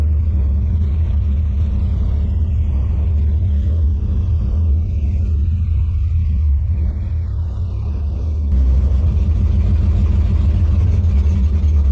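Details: 1957 Chevy delivery V8 with Hilborn mechanical injection, warmed up after valve lash set by feeler gauge: deep, uneven loping idle with irregular stumbles; still running poorly, owner suspects lean misfire, maybe too little fuel needing a pill change.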